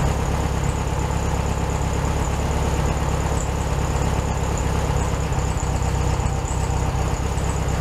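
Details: 1967 VW Beetle 1500cc, warm idle after carburetor reinstalled with new base gasket (second repair); steady, even low-pitched idle, a touch fast, no misses, hunting or stumble; running properly warm, slightly high idle.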